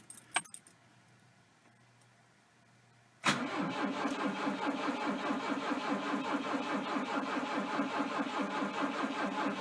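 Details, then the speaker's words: Volvo 242T won't start; warm-up enrichment 100, ignition advance 14 degrees, pulse width 10.7, battery 11.9 V, fuel pump relay clicking: after a click, starter cranks with even pulses about two a second but never fires. Crank no start. "off lights all flash i can hear the fuel pump relay clicking clearly firing the injectors please help thank you"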